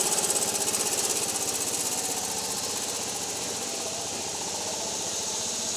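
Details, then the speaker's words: Old Club Car Carryall petrol engine, fuel-pump vacuum line plugged off: chugging with a quick, uneven beat that revs up and back instead of holding speed; owner suspects governor linkage out of adjustment, not confirmed; engine surging. "However, it is doing some surging where it doesn't run at a smooth, steady speed. Kind of revs up and back, revs up and back."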